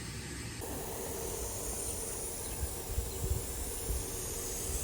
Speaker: How we test that is by pressing this button here for a manual start, and you can hear that first zone turn on.